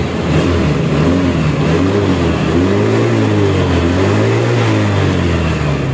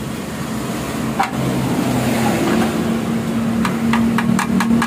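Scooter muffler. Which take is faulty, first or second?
second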